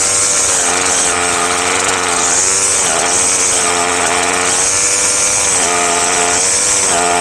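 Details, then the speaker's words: Craftsman gas string trimmer, two-stroke, after a carburetor kit rebuild that cured hard starting and refusal to rev, no carb adjustment needed: high buzzing note snapping up and down cleanly in repeated throttle blips, no bogging. Normal revving. "Seems to be running good. Idles up, starts pretty easy."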